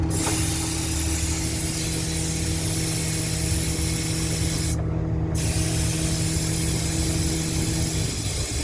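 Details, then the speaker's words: 2011 Ford F750 service truck with crane, engine running: a steady drone with a strong low hum and air hiss that briefly cuts out midway as the air compressor kicks off and on, cycling normally; its gauge reads only 80 psi but is unreliable. "Yeah, it just kicked on there. I hear it kicked in."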